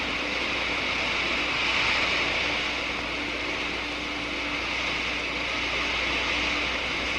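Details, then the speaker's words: Water flowing through a venturi throat, where absolute pressure falls below vapor pressure (about one inch of mercury); steady hissing roar with dense crackling as steam bubbles form and collapse: cavitation. "when the absolute pressure goes below the vapor pressure of about one inch of mercury boiling occurs the water changes to steam and the subsequent collapse of the bubbles which you can hear creates enormous stresses in the wall"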